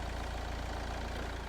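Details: Nissan Qashqai+2 1.6 dCi (2013) after crank-no-start fault with U1000 CAN communication code: low, even diesel idle with steady beat, no misses or surging; normal idle.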